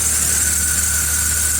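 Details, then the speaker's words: Truck at idle with steady high whine and hiss over engine hum, squealing all over the belt drive after fixing a pulley that hit the block; alternator bearing noise. "seems like it's squealing all over it's not just one side the alternator definitely has some some Baron noise"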